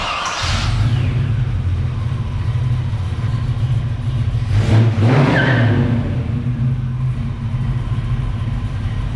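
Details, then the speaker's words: 1978 Pontiac Firebird V8 with mild cam, first run after engine install with exhaust fitted: deep, slightly loping idle with rhythmic chop under steady rumble; all cylinders firing, normal idle. "actually it sounds pretty good so this is that little cam sounds good in this thing"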